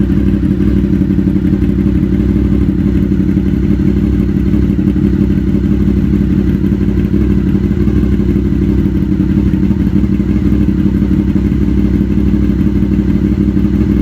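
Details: 2000 Honda VFR800 V4 motorcycle, previously wrecked and repaired, started: deep steady burble with even beat, no knocks, rattles or misfires; healthy.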